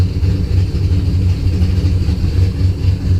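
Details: Engine after spark restored by moving loom wiring; fuel pressure 50 after prime, over 60 during prime, running really rich and sneezing fuel after failed start; low idle surging and sagging with a lumpy, stumbling beat; rough idle, cause unclear.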